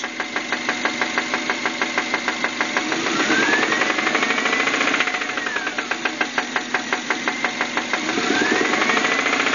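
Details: 1999 Subaru Outback 2.5L DOHC, started suddenly at night: sharp regular knocks about three per second, quickening and louder with light throttle; owner suspects rod knock, unconfirmed.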